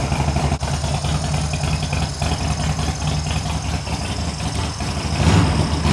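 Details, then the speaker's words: Harley Sportster build, first start after fitting new short plug cables, choke on and throttle adjusted to idle: loping, uneven potato beat settling steady, then a rev; runs fine, no obvious leaks. "I don't know you guys can hear me but it's alive you got the fuel tank got the choke down it adjusted the the throttle a little bit so we can idle"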